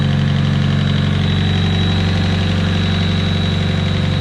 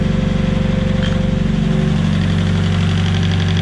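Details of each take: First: Nissan S15 cold idle after replacing the head-to-block vent hose: steady idle with injector ticking and a faint thin chirpy whistle, source unclear, possibly intake manifold; the squirrely noise goes away when warm and a lifter proved the earlier head noise. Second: Nissan S15 idling after a lifter fault was fixed: steady even idle with smooth low pulse and no top-end tapping; remaining head noise is just warm-up.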